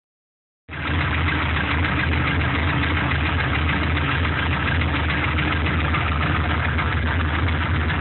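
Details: Truck with an LS1 block from a C5 Corvette, run 5 to 8 minutes to warm up, idles firmly with a fast light tick above the rumble; it runs strong with no leaks or smoke, and the owner suspects piston slap, unconfirmed.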